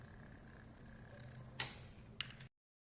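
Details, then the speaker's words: Electrolux 12 kg washing machine that made a strange noise during spin, after replacing the drain pump: low quiet hum with two light ticks, no grinding or rattling; normal quiet drain pump operation. "Agora vamos colocar uma nova. A diferença não faz barulho."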